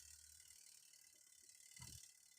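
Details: Twin-tub washing machine spin-dryer timer wound by hand during multimeter check: quiet fast ratchety ticking; clockwork clicks freely, sound indicates the timer still functions.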